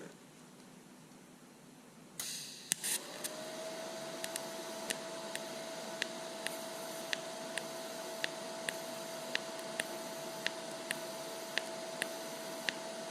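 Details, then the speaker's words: Lincoln Electric Aspect 230 AC/DC water-cooled TIG welder, welding stainless steel at a pulse frequency of about 0.9: steady arc hiss with evenly spaced popping about once a second; normal low-frequency pulse sound. "So you can hear the pulsing. It makes kind of a popping sound at this lower frequency."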